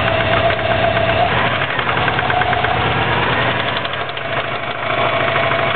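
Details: 2004 Subaru WRX engine, stock turbo, tuned to 22 psi boost, heavy knock after doing donuts on pavement: rough heavy knocking at two or three a second through an uneven idle; owner suspects rod knock, unconfirmed.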